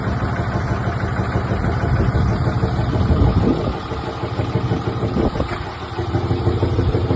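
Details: Cummins 5.9 diesel runs with a loose, uneven knock riding over the clatter and shifting with the revs; owner unsure whether it is a bad injector or an engine knock.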